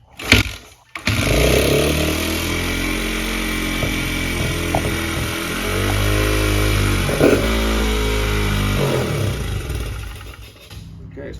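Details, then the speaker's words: Honda CRF100F being restored, cranked on choke with no air filter fitted: fires after a false start and settles into a fast, buzzy idle that stays high. Running better than before, idle set too high. "we've got a very hot idle it's running better than it was hurray"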